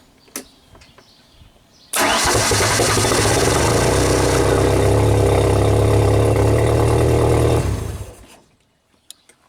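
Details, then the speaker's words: Old Genie boom lift engine, main relay control side diagnosis with pins 9 and 1 jumpered: catches and runs evenly about six seconds then winds down; relay tab never pulls in, cutting ignition coil power. "no no it it never went up okay let's try again"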